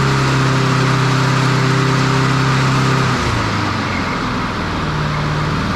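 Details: Standard push mower engine after a broken governor arm spring fix. Fast, buzzy hum whose pitch drops noticeably about three seconds in; the governor spring is setting the revs too high. Moving the spring one notch, a couple of mm, makes an audible difference.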